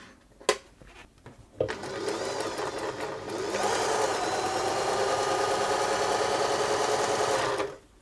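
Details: German-made Singer 631G/611G sewing machine after a full service and foot controller repair, sewing the widest zigzag (BL5): fast, even clatter at a steady pace with no knocks. The bottom tension may have been slightly tight, or the top not quite tight enough.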